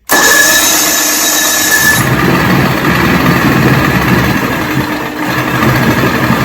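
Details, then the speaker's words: 1970 Evinrude 85 hp two-stroke outboard, about 50 years old, first start on choke and key after evaluation: cranks, catches at once and settles into a steady even idle with no misses; starts and runs fine. "so choke and ignition so cross your fingers people hey we have life"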